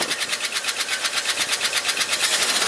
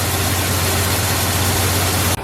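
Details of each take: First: 1971 Ford F-250 shop truck V8, alternator and water pump belt removed made no difference, noise toward the front: fast, light, even ticking; could be a valve lifter, cause not yet confirmed. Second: 1971 Ford F250 shop truck V8, 51 years old, suspected stuck lifter, now starts and idles smoothly without the earlier noise, "purring like an arthritic kitten"; steady low hum, even beat, no knocks or misses; normal idle.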